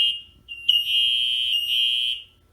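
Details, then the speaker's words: Patient alert buzzer in the rear module of a 2005 Chevy Kodiak C4500 ambulance with a Horton emergency vehicle control module; steady high-pitched electronic buzz for about a second and a half to alert the driver. Working normally. "so that way you can let the driver know if there's an emergency"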